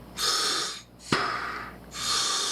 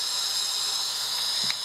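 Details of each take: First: Sherwood scuba second-stage regulator after adjusting the lever until the free-flow leak just stopped: clean, even inhale hiss about once a second stopping sharply between breaths, no free-flow; breathing normally. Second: Sherwood scuba second-stage regulator on the bench with an intermediate pressure gauge, when the gas is turned on: a steady, high, airy hiss with no breathing rhythm; it is free-flowing, so the seat needs adjusting.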